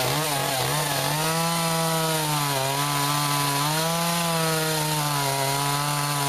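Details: Echo CS-400 chainsaw with freshly sharpened, tension-adjusted chain cutting ash logs, about 40 degrees out; steady high-pitched scream at full throttle, dipping slightly as the chain bites and recovering cleanly; normal cutting at full throttle.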